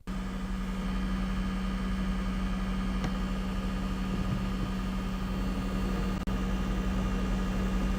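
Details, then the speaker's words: PlayStation 5 console coil whine: steady low electrical buzz like an old refrigerator with a faint higher-pitched tone on top, heard through low-quality video audio. "you would have heard more of a high pitch sound along with that buzzing there it kind of just sounds again like an old refrigerator but it's definitely coil wine"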